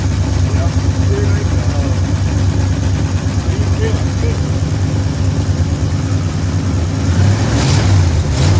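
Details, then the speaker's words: 1973 Ford F100 V8 after a tune-up with new plugs, coil, condenser, points, rotor, cap, rewiring, fuel filter and battery ground: steady even low burble at idle with a couple of clean throttle blips; runs smoothly and sounds good. "That that sounds pretty good. >> Yeah. >> We just finished up. We got it running good."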